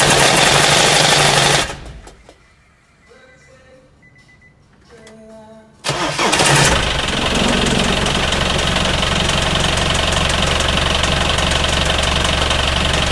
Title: BARULHO NA PARTIDA QUANDO LIGA FAZ BARULHO NO MOTOR O QUE SERÁ?